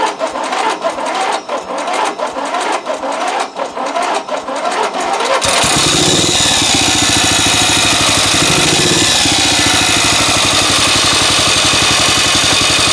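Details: Used 12.5 HP replacement engine after exhaust welding: a few cranking pulls, then it catches and revs hard with a harsh, ragged edge. Carburettor set very lean, needs adjustment; an odd knocking noise, not the starter, remains unexplained.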